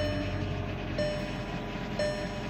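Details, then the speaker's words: 2013 VW Jetta single-overhead-cam at 80,000 miles: right after start-up a steady hum stumbles about once a second, a misfire said to worsen at 3000-4000 rpm; owner blames ignition system issues and says the easiest fix is replacing everything. "take a listen to the start up you'll see what I mean misfire unstart up oh"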